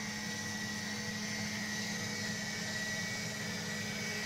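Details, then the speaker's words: Sump (cellar drainage) pump tested with water poured from watering cans to simulate flooding; it switches on once the float rises high enough: steady, even motor hum with no knocks or rattles; pumping normally, even with dirty water. "Donc là vous entendez, la pompe s'est déclenchée parce que le flotteur était suffisamment haut."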